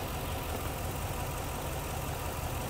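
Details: 2009 Chevy Express V8 with code P0300: four coil packs on one side are not firing from lost coil power, while cylinder 8 sparks. The idle is rough, uneven and loping with missing pulses.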